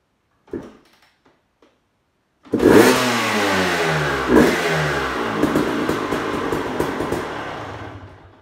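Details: Suzuki RM250 two-stroke that wouldn't start despite spark and fuel, fixed by disconnecting the faulty kill switch: after a few failed tries it fires and revs up and down cleanly with a crisp two-stroke crackle; running properly.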